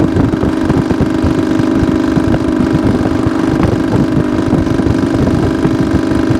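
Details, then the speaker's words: 1972 Suzuki TS250 two-stroke, possibly still cold, run on a short ride: it buzzes steadily but hesitates off idle and won't take fuel cleanly on throttle; owner suspects a plugged pilot jet blocking the idle-to-eighth-throttle transition. "okay guys I think you could you could kind of hear it in the way the engine it just didn't want to take the fuel so my first thought is we've got pilot jet that's plugged up it's just not one to transition from that about idle to eighth"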